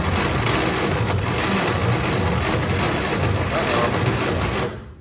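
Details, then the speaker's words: 1934 Plymouth coupe with a starter rebuilt from parts, cranking on extra voltage: harsh, strained whirring with a rough pulsing rhythm, and the engine does not fire. The starter is overheating and smoking. "I don't like that noise I don't think Mr starter is very happy with me no Mr starter's not at all happy with me"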